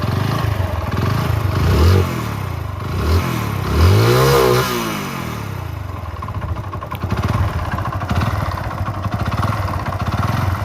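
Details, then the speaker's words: Motorcycle with a worn-out engine, ridden on after it was due for a rebore: rough clatter at idle and harsh knocking on quick revs, from a worn connecting rod. "ఒక బండి engine పోతే ఈ విధంగా అయితే sound వస్తుంది friends. ఈ sound అయితే విన్నారంటే ఖచ్చితంగా అయితే మీ బండి ఇంజన్ పోయినట్టే."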